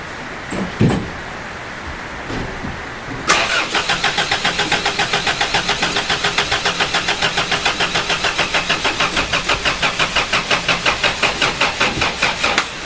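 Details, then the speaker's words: Toyota Hilux after body swap, first start attempt on weak battery: even, rhythmic cranking about three and a half strokes a second for nearly ten seconds, never catches; spark present, owner suspects insufficient fuel, some fuel flows. "so we've got spark I've just got what I believe is possibly no fuel there is fuel coming out of here though when I just cranked it not a load"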